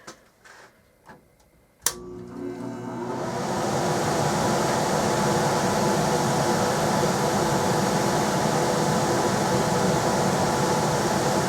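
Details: Rheem air handler with newly replaced blower, wired up and powered to check counterclockwise rotation: a click, then a steady airy rush that spools up within two seconds and holds an even hum; blower running normally.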